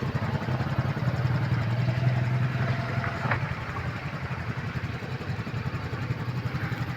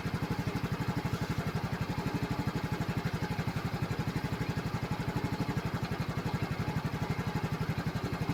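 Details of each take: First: Yamaha scooter driven through flood water, won't start normally; kick-started, engine idles low and rough with an uneven putter of three to four beats a second after flood water was sucked into the carburetor through the wet air filter. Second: Flood-damaged Yamaha scooter after running until the carburetor and engine were warm and the water cleared: a steady, even putt-putt idle with no misses. It still needs an oil and gear-oil change after water entry.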